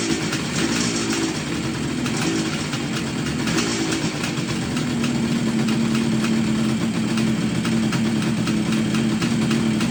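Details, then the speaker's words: 1969 Kawasaki H1 two-stroke triple, barn find started after 30+ years of sitting during recommissioning, carbs cleaned, air filter not yet fitted: crisp, steady burble that picks up cleanly with throttle; runs healthy. "Oh, that sound good or what? Wow. Amazing."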